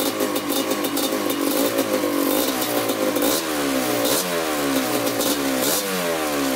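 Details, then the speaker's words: 1987 Kawasaki Tecate 4 250cc two-stroke quad, first start after rebuild during break-in run: crisp buzz rising and falling smoothly with quick throttle blips, clean and even, no leaks; normal throttle response. "Thing sounds really good. No leaks yet either."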